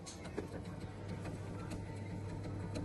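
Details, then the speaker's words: Bosch 6000W gas boiler circulation pump: steady low hum with irregular sharp ticks and knocks from a worn rotor, fixed by replacing the rotor; dirty water found inside. "насос стучит будем разбираться в чём проблема"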